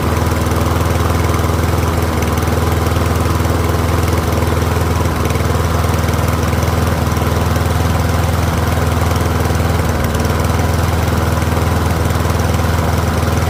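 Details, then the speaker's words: Troy-Bilt rear-wheel-drive mower with Briggs & Stratton engine, after ultrasonic carb cleaning: steady, even single-cylinder putter at constant speed, no misses or surging; pretty quiet, running properly. "I'll let it run for a few minutes. It is a pretty quiet mower."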